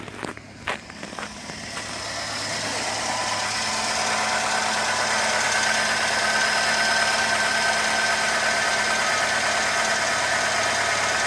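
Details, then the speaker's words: 2008 Renault Logan 1.6 8-valve, 144,000 km (possibly rolled back), cold idle, timing belt and rollers replaced, valves adjusted: steady metallic tick-knock about three per second over hiss and faint whistle, also when revving or driving; cause unknown. "Не какой-то посторонний шум в ней. Будто кто-то стучит внутри двигателя."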